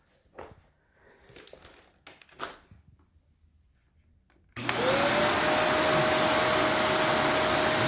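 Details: Shark NV355 upright vacuum bought in 2018, about 3 years old, in a Florida condo; motor spins up quickly to a steady even whine with smooth airflow rush, no rattle; normal running.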